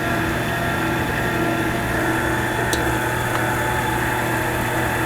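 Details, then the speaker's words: Delta midi lathe just after drive belt replacement, first run: steady even motor hum and constant whir with no knocks, rubs or slapping; it runs very nice, like new. "runs very nice but to tell you the truth that wasn't as bad as I thought it was going to be"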